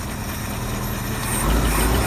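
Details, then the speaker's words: International Harvester 4x4 Loadstar truck's old petrol engine idling after cleaning the points and reconnecting the fuel line: low, steady, smooth rumble, running healthily. "We'll get that line hooked up and hopefully fire this thing off and actually get to hear it run and idle for a while."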